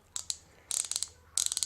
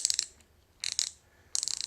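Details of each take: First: New Harbor Freight Pittsburgh Pro thumbwheel hand ratchet, supplied completely dry with no grease: loud harsh bursts of rapid machine-gun clicking with each swing. Dry ratchet pawl, no lubrication. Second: Pittsburg Pro thumbwheel hand ratchet after the dislodged ball was pushed back into place and it was lubed: short bursts of fine, even, light clicking as the wheel spins, smoother and less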